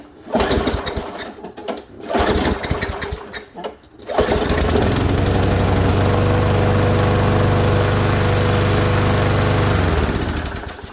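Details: Craftsman 5.5 hp lawnmower with a no-start complaint, restarted after the air filter was blown out and refitted: catches after a few pulls and settles into a steady, even drone with no misses or surging; runs healthy.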